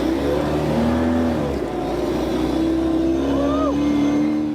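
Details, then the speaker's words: Off-road truck "Banana" heard from inside the cab: steady low hum under the engine note as it revs; exhaust drones through the body, sounding too tough inside though good outside. "another thing that I'd like to fix is the exhaust on this drones it's got a nice tone from outside the vehicle and especially when it's working it just sounds really tough but it sounds a little bit too tough on the"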